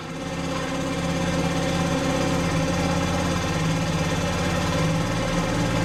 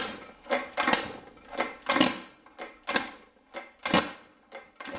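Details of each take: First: Scooter whose kickstarter slipped and grated, after replacing the ratchet and straightening the kick lever to clear the case by about half a centimetre; the small engine starts and holds a steady, even buzz for about seven seconds. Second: Scooter kickstarter, being kicked to start: about one kick a second, each a short rasping scrape with metallic ring instead of catching; slipping, so the ratchet or kickstarter gear needs replacing.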